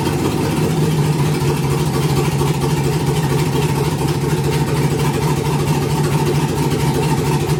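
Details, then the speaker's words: Nissan 300ZX with LS V8 swap, first startup on new engine harness: loud, lumpy V8 idle holding steady with raw open-pipe bark, no knocks or misses; some sensors including coolant temp still unplugged. Normal idle. "but yeah so you guys heard it um it idles it's running"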